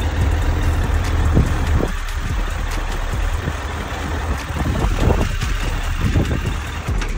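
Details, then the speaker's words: 2008 Suzuki GSF1200S Bandit, last carbureted version, warmed up, idling at 1,000 rpm: low, steady burbling idle, no knocks, ticks or rattles; normal idle. "то есть вот чекает уже прогрел 1.000 оборотов держит Звук вот такой он не шумит ничего не орёт"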